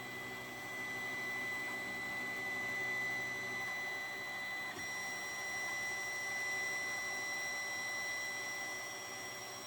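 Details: 3D printer restarting a print after a jammed nozzle was replaced, tubes renewed and the bed re-levelled: steady whir of cooling fans with a thin constant high tone, even throughout; normal printing.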